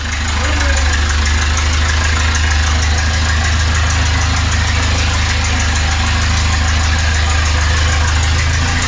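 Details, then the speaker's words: 1988 Toyota 22RE on its first drive in five years, radiator cap off: deep, loud, raw drone with a steady chugging idle pulse, because there is no muffler. The exhaust runs straight off the catalytic converter since the muffler rusted out; not known if all four cylinders fire. "sure is loud but there's no muffler at all straight off the back of the catalytic converter because the muffler was all the way rusted out"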